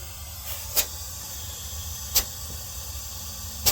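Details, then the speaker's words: Refrigerator sealed-system repair, dual evaporator: air blown through the discharge side before soldering to confirm the line isn't clogged gives a steady airy hiss with a few sharp ticks, air passing freely; line is clear, no blockage. "I don't know if you could hear that, but that is clear. And that's what I want to hear."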